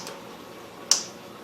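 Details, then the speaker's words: GM 4L80-E transmission rebuild, bench-testing a solenoid with a meter reading about 0.56–0.63: a sharp, crisp single click when power is applied; the solenoid actuates normally. "0.63 0.56 0.62 and you can hear it click so uh I don't I don't need to do any more testing on this thing"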